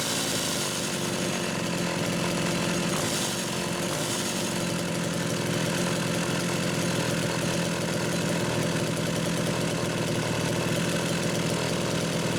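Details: Homelite Super XL chainsaw, test run after carburetor rebuild: steady, even two-stroke idle with a constant buzzing note and no surging, sputtering or dropouts; running clean.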